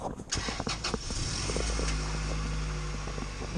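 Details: Integra with performance headers and a short-ram intake, after patching a large exhaust manifold leak: deep, even engine note and steady low rumble with no ticking or puffing; normal running.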